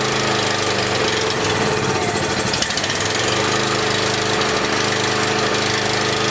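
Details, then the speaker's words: Small single-cylinder generator, on choke, low-oil shutdown disconnected: uneven, hunting beat that steadies into smoother running while carb spray is applied at the intake; suspected air leak at the insulator block. "so did you notice when i was spraying that back here how it smoothed out and ran"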